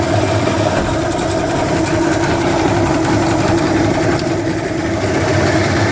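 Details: Johnson 150 hp outboard: high buzzing run with an irregular metallic chatter that comes and goes, louder at higher rpm; began two weeks ago at wide-open throttle. Rattle of unknown origin.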